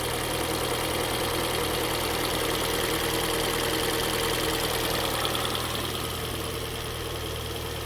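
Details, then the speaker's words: Kia Soul just after engine and transmission reinstall, first start on old oil with no coolant: fired on the first try, steady, even idle with a smooth pulse, no knock, rattle or misfire; normal idle. "oh damn it's all right I mean that's that fired right on the first click well that sounds pretty good"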